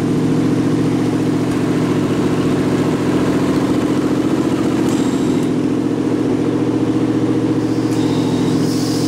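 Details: Rat rod truck idling with a York AC compressor converted to a belt-driven air pump for an air-bag suspension, filling the tank, switch set near 100 psi; smooth steady idle, low hum and even pulsing, no knock or squeal, normal.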